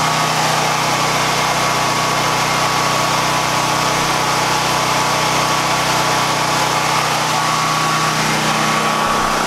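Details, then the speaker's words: Harbor Freight Predator 9000 W generator just started (choke pushed back), mic close up: smooth, constant hum at steady speed with no misses or hunting, far quieter than expected; running healthy. "we're runnin that is way quieter than I thought it was going to be way quieter"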